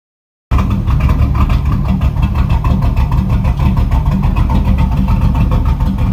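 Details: 1989 Camaro carburetted V8, first start in 13 years after an Edelbrock carburettor rebuild with ultrasonic cleaning: a deep, strong rumble with a steady lopey pulse and revs held up, running cleanly and evenly.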